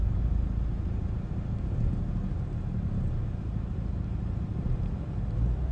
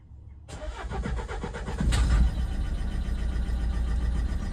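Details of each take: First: Renault Megane 1.5 dCi diesel after replacing faulty cylinder 3 injector with a used good one and clearing fault codes: low, steady idle rumble with no misses, knocks or uneven beats; healthy. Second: Renault Megane 1.5 dCi diesel with faulty injector (cylinder 3 flagged, swapped to cylinder 2 to confirm), connectors unplugged: cranks, catches, then idles with uneven lumpy clatter and irregular beat, revving oddly; misfiring cylinder from faulty injector.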